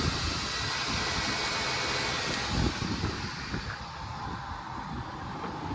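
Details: Ford after oil pump replacement: truck idles steadily under some hiss, no top-end ticking, oil pressure good; sounds healthy at idle.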